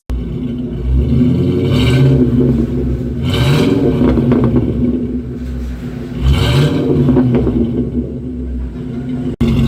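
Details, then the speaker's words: 1996 Ford F150 2WD, 302 V8 gasoline, automatic, after replacing the old leaking, rusted exhaust with a new better-flowing axle-dump exhaust instead of the side exit: deep V8 rumble rising and falling through several revs, no ticking or hissing leaks; normal exhaust note. "Well, there you have it. Exhaust is all completed. Sounds good. I definitely like changing that up to the axle dump versus the side exit."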